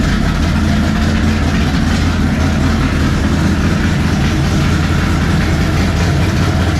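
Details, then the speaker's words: 1957 Chevy pickup with a swapped big-block Chevy V8, first fire-up with a new 3-inch mandrel-bent exhaust and Black Widow mufflers; deep, loud, steady lumpy burble at idle with no misses or knocks; healthy. "Black Widow mufflers, 3-inch pipe."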